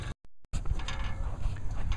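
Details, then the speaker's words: Wind-driven roof turbine ventilator (whirlybird) spinning fast; uneven dry scraping and ratcheting over wind rumble, bearing gummy and lacking lubrication, fixed by cleaning and greasing. Dry bearing. "Can you hear that hum it's making? The same thing, it's spinning so fast."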